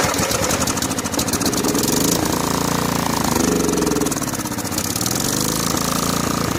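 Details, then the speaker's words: Snapper SR1433 rear-engine rider mower, sat 8 years, started on choke after hard start: lumpy, surging and sagging running with no steady idle; fuel delivery suspected, carburetor leaking with dirt inside, may need soaking. "Carburetor may require some soaking. See if we're getting any fuel in the fuel bowl. Yeah, there's a leaker."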